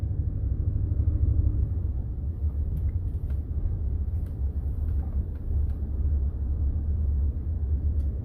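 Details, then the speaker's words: 2015 Ford F-150 EcoBoost Platinum driving in two-wheel drive after IWE (integrated wheel end) replacement: steady low road rumble, no clicking or chatter from front wheels where it previously chattered; normal drive, no wheel-end chatter. "let's go drive it okay let's see if we hear it so far so good normally by now i would already hear it chattering i don't hear anything"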